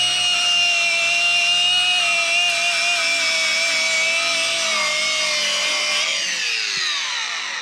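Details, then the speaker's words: Battery angle grinder cutting on a 575 plow build: high cut-wheel whine sags in pitch under load, then winds down, sounding weak; owner suspects the cheap XC battery, not confirmed. "Battery? Yes, it is. I thought that sounded a little anemic. Oh, that's because it's just a XC."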